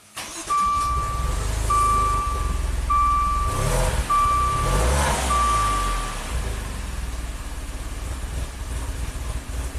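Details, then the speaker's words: 2016 Maserati Ghibli Q4 twin-turbo V6, 60k miles, timing codes, at start-up: warning chimes then lumpy, shaking idle like running on 3 cylinders, raw gas smell; misfire. "Smells like raw gas. Shaking like crazy. Feels like it's running on 3 cylinders."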